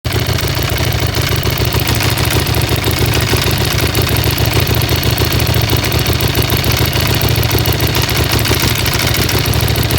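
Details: Aprilia SXV 550 motorcycle twin idling steadily with a dense metallic engine rattle over the low exhaust thump.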